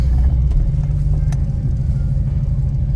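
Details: Homemade DIY dual exhaust just installed, pipes through the X-frame with mufflers over the rear end: deep, even low rumble at idle with no leaks, ticks or rattles; normal exhaust rumble at idle.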